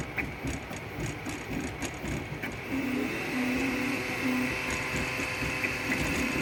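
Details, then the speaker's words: Klipper 3D printer running a speed benchy test: motors chatter, then a steady high hum as the auxiliary part-cooling fans kick on as intended, alongside the hot end part cooling fan. "Well, I don't know if you can hear that, but they definitely kicked on."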